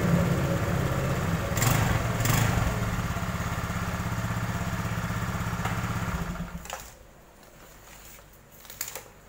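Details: Honda Beat automatic scooter that had a diesel-like "klotok" knock, test run after replacing the fan belt and crankshaft seal: steady, even thrum with no knocking, then a clean shutoff; normal running.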